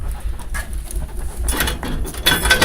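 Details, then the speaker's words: Shop wood burner fire too large and starved of oxygen, irregular huffing and puffing with a tinny rattle, surging and fading; eased by cracking the door open. "fire's burning and it's not getting enough not getting enough oxygen so it just starts huffing and puffing"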